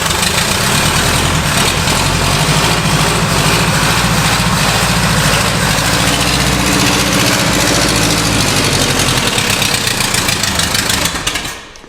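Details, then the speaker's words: Pontiac barn find sitting about 20 years, points ignition, running on old gas from a 5-gallon bucket: loud, ragged running with uneven low thumping; timing seems far off and it seems to fire on about four cylinders, dumping lots of fuel. Misfire suspected. "Sounds like there's about negative 1,000 timing. She sounds like she's running on about four."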